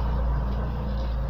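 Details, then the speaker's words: After DIY crankshaft keyway repair for lack of power: deep, steady low hum at idle with little high-frequency content; the drone comes from the exhaust pipe, not the engine. "Этот гул стоит, это у меня труба выхлопная, не Алеша."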